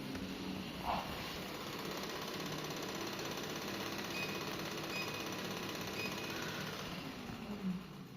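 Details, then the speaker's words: WalkingPad A1 Pro treadmill: a fast, steady rattling knock near the motor, not from the belt; the owner suspected excessive lubrication. "Короче, всё было хорошо, но потом хоп, и начался странный звук."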